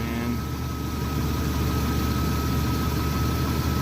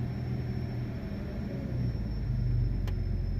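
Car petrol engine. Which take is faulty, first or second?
second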